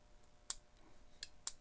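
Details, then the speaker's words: On/off DC transmission shift solenoid removed from the transmission, bench-tested with voltage applied: three crisp clicks as the plunger snaps each time power hits it; the solenoid is good electrically. "So this solenoid's good, electrically."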